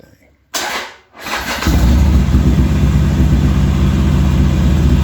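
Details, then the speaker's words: Harley-Davidson XR1200 hot start: catches on crank, then holds a fast steady idle instead of dropping, hanging at 85 idle steps despite a raised 155-step start setting; high idle hang, later fixed by making the throttle position sensor read absolute zero. "still went and hung at 85 steps for whatever reason so might have to figure out something else"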